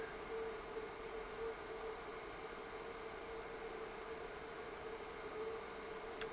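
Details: DROK 800W DC boost converter (10–65V in, 12–120V out) set to 120V output at about 1A on test: faint steady hum near 500 Hz with odd high chirps sliding above it; coil whine under load.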